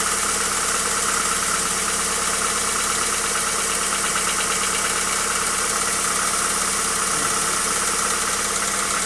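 Idling engine with a steady metallic tapping, about three per second, riding over a hissy background; a knock of unknown origin.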